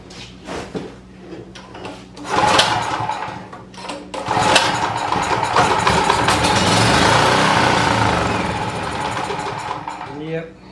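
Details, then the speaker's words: Champion 4000 W generator, curb find, fuel shut off, choke open, on starting fluid: coughs, fires a few times, runs raggedly for several seconds, then dies starving for fuel; suspected fuel problem, carburetor needs cleaning and bad gas drained. "so we're dealing with a fuel problem more than likely we need to clean out the carburetor and at a minimum get rid of that fuel that's in there"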